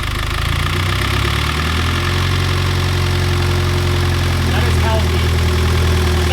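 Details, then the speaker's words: Freshly rebuilt Mitsubishi Evo X engine at first start after long cranking: a deep, even idle with no ticking or knocking. Fired right up and runs super smooth. "other than those two little things little to little setbacks the thing with super smooth fired up right away"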